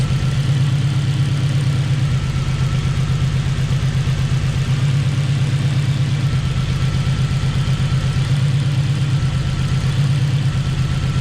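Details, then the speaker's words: Honda DC2 Integra with turbo K20: uneven idle with a shifting, roughening tone from a slight misfire. Plugs and coils were changed without fixing it. Suspect is the number four injector wiring; wiggling it changes the tone. "so we're just looking at the injector wiring i've plugged something installed on the engine just to see if any sort of wiring faults or anything it is sort of leaning towards maybe number four injected vlog so just giving it a wobble now seeing what"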